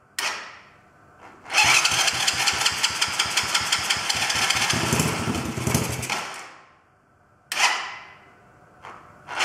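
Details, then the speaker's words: Chinese quad bike (black quad) starting with choke off, engine moving on loose mounts, battery going flat; owner suspects idle screw needs adjusting. Starter chugs nearly three beats a second, catches with rough rattle briefly, then dies: hard starting, will not idle. "so the battery's gone flat but the good news is that did actually fire out maybe I have to adjust the idle screw is a bit"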